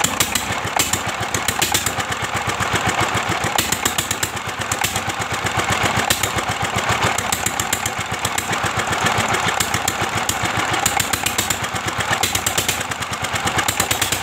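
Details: Old single-cylinder S1100 diesel, restored with a replaced valve and freed stuck piston, restarted: fast even clatter with a harsh gritty rattle through every beat; timing gears sound rough, replacement left to the owner.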